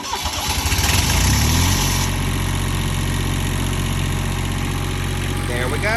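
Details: 1993 Fleetwood Bounder RV Onan 6.5 diesel generator after oil and fuel filter change, primed by holding stop 5 seconds: cranks about a second, catches cleanly, settles into a steady, even diesel drone; normal start.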